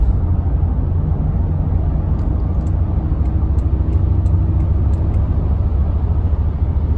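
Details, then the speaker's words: 2014 Honda Ridgeline, 48,000 miles, at highway speed: deep constant droning rumble and heavy thumping throb with growing vibration and steering shake; sticking brake caliper overheating the rotor, which ticks while cooling. "You can hear like a thumping noise. So I'm going to shut up for a minute so you guys can hear. It's getting really bad, really loud."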